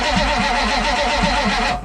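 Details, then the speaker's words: 1985 Chevy K30 4x4 diesel rollback wrecker, after bleeding fuel filter and below-freezing night: starter cranks at even churning beat, never fires; only a trickle of fuel at cracked injector line. "now we are not getting any fuel oh trickle coming okay yeah we actually do have fuel coming up we got to just keep cranking her over"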